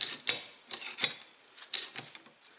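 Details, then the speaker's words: Reassembled Shimano freewheel hub, ball bearings split unevenly top and bottom, spun by hand: only faint scattered ticks instead of crisp pawl clicking because grease got on the pawls; it still locks up. "and it spins i don't hear it clicking like it used to let me show you on the other bike so there it is clicking so some of the grease got on the paws there and but it is locking up"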